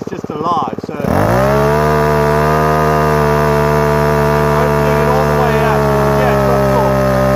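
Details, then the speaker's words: Repaired Ryobi two-stroke strimmer started on choke after priming, carburettor screw turned a quarter turn; settles into a fast idle with a slightly uneven, burbling beat; rough idle after carburettor adjustment, owner thinks mixture needs fine tuning. "not idle magic a little bit blubbery I'm sure this with a fine tuning"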